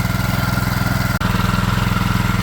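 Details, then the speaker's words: Late brother's 6.5hp Chinese four-stroke single-cylinder engine, meant for alternator backup power, running after fuel was bled through: quick, steady, even putter with no knocks or misses; runs really well apart from a fuel tap washer leak, normal idle. "and it's alive all right so it runs really well aside from this problem"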